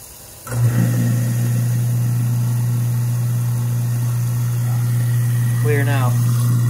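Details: Apartment garbage disposal after something was pulled out of it: starts cleanly into a steady, even low hum without grinding or rattle, spinning freely; normal running.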